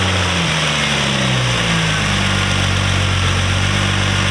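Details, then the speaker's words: Nissan Altima SE-R just after the intake manifold was reinstalled to fix an intake leak and the codes were cleared: smooth, steady low hum that settles after starting, with no hunting or surging. Normal idle. "That's the idle that we want right there."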